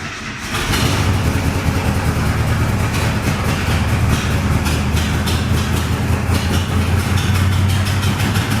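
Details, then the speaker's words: 1972 International 1110 truck, carburetor fed by battery-powered fuel pump, float needle and seat set too high: low, lumpy, loping V8 idle, running rich and rough and throwing a smoke cloud as fuel blows past the needle and seat, flooding. "All right. Holy cow. We got a cloud. I just have to get this carb to stop absolutely blowing past the needle and seat."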